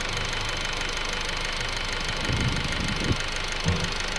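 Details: 2008 Honda Civic EX idling: uneven, irregular knock with a few louder thumps near the end, heard from the rear; owner says it comes at different times, source unclear.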